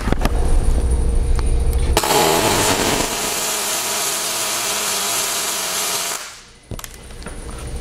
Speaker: so you can notice that there wasn't any stubbing The Arc fired immediately and that was because I used a short stick out to start the ark and I have my parameter set properly with a good ground lead